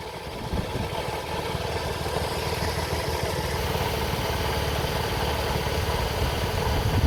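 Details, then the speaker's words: 2004 Toyota Sienna engine at idle, wheel and cover removed, antifreeze leak seen: rough, uneven screeching clatter from one side of the engine; pulleys, belt and timing belt being checked. The timing belt later snapped while driving. Source not confirmed. "Shortly you will hear the noise. Uh very bad noise. It's like screeching."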